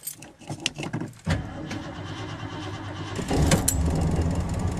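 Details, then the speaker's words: 1970 Ford Torino GT stone cold at low-to-mid 30s °F, two pumps and automatic choke set: quiet, then catches quickly and settles into a steady raised choke idle; normal clean cold start. "hear the automatic choke work. Starts like a new car practically. 2 pumps and set the choke and it'll start right up."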